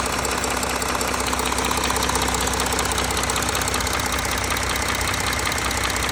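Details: Audi A4 3.0 TDI (CRTC) diesel, cold with oil temperature below 60°C, at idle: steady, evenly spaced knock about two and a half per second over the idle; cold-engine knock, cause not yet determined.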